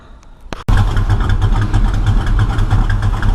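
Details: V8, running rich and smoking heavily: lumpy, uneven idle with irregular low thumps and pops, backfiring; owner suspects ignition timing is off, not confirmed.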